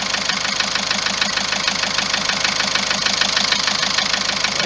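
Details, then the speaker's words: Car engine idling with a steady fast ticking about two per second that never changes, started this morning after a trip; the tapping is said to come from the injectors and tappets. "الصوت يتكلم منه، الطقطقه هذه يتكلم من هذه، التقربيح هذا يتكلم من جيتي زانجكتر والتكايات."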